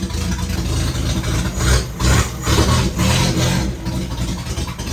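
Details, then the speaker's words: 1967 Volvo 122 Amazon with only the new sport exhaust downpipe installed and the rest of the system not yet fitted: a very loud, raw, raspy idle with uneven pulsing surges and no muffling, open right after the downpipe. "Full disclosure, that scared me a little bit when I fired that up."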